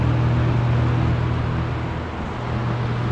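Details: Old box fan, uncleaned, switched from medium to high: smooth steady low hum with an even airy rush, dipping briefly as speed changes; running normally.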